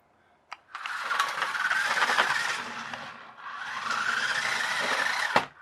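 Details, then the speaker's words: RC-converted Equestria Girls push-along toy car on a 2S battery: high motor whine rises and sags in bursts with gritty catches and snaps as the gearbox binds; the 3D-printed replacement pinion gear is jamming. "but is that 3d 3d printed gear playing up is jamming"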